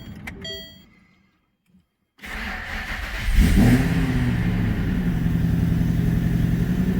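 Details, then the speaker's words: Manual Ford BA GT Boss 290 V8 on first start after fitting an upgraded intake plenum in place of the factory plenum and 75mm throttle body, before retuning: keys, then it fires and holds a fast, busy idle. The idle is too high and the throttle body tables need adjusting. "Yeah, so it looks like I need to bring it down a bit."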